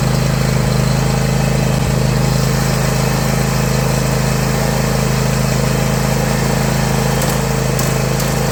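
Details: John Deere Z335E zero-turn, commercially used, after spindle replacement without removing the deck: steady, even engine drone under blade load, no grinding, squeal or knocking; blades spinning normally after repair.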